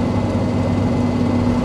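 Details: Toyota 1KZ-TE diesel while driving: light, fast ticking over a steady low hum from mud tyres; owner is worried about the ticking, cause unknown.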